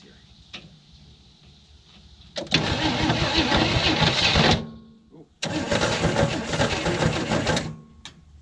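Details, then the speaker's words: 1967 Chevy II Nova, first start after 30 years sitting, fuel added: two bursts of steady starter cranking about three beats a second, turns over but never catches; some smoke seen, wiring or alternator suspected. "sounds like it wants to go i did see some smoke coming up here so maybe she's wanting to fire"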